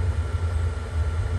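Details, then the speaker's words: Atwood furnace in a 1996 Ballard travel trailer, after replacing the failed circuit board; steady low even roar with no popping or sputter, propane burner lit and burning cleanly. "did that sound guys burning sound through it and that's the good sound let's kick up it's working running"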